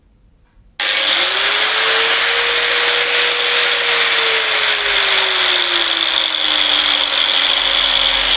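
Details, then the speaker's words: Angle grinder with a potentiometer speed-control unit set to minimum: starts and settles into a low, smooth, even whine that sags further over several seconds; normal running at reduced speed. "බලන්න මම මෙතනින් පොටෙන්ෂියෝමීටර් එකේ අඩු කරගෙන තියෙන speed එක."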